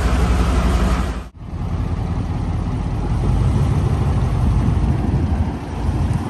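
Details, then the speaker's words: Sherman tank 16-litre (975 cu in) 9-cylinder radial engine, about 400 hp, started out of gear after a couple of accelerator pumps: deep, lumpy low rumble with a loose uneven beat around four per second, no knocks or squeals; normal idle, oil pressure rising. "We're going to crank it over and a couple of pumps on the accelerator pedal and to draw the fuel in, and it should just fire up like that."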